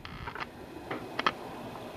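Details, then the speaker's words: Zenith A-411-A transistor radio: irregular sharp pops and crackles over faint hiss from speaker, still present after removing earlier-stage parts; fault traced to final audio stage, Q402 final audio transistor suspected, not yet confirmed. "You can hear, I think, the crackling and the popping. So that pretty much leaves the last stage of this to be the problem."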